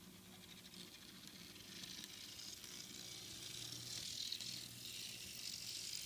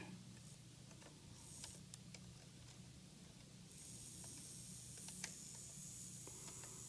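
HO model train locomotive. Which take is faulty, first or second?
first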